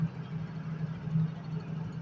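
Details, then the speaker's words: Yamaha Mio GT scooter after no-start repair, fuel pump pressure checked at roughly 20 psi without a gauge: engine now starts and settles into a low, steady idle with an even pulse, no misses; normal idle. "Oke, di sini motornya sudah bisa nyala atau bisa hidup"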